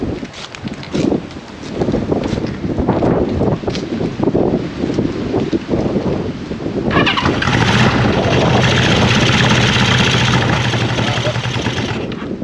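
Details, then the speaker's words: Honda CB550 motorcycle, gas fed straight into cylinders bypassing floats and bowls: cranks, catches and runs unevenly a few seconds, likely on leftover starting fluid rather than its own fuel. Brief run on primed fuel. "That might still be the... Yeah, that could be the leftover starting fluid. Yeah, that stuff would have burned for gas."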